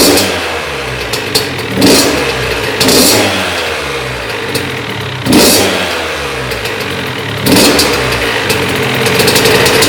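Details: Honda CR80 two-stroke after cylinder head, studs and gasket replacement for coolant leak from head, first test run: crisp idle, clean blips up and settling back, no bogging or misfire; running healthy.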